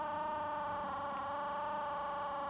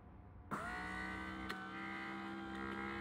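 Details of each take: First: 1981 Mercedes W123 front left door window motor, original large-cog unit, before the swap: a thin, quiet, steady hum with no speed change or load surge. Very slow and unable to lift the window past midway. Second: 1981 Mercedes W123 front left door window after swapping in a W116 motor on the large upper gear, with a new regulator: a smooth, even whir for about seven seconds, steady pitch, no grinding or labouring. Window motor runs healthy.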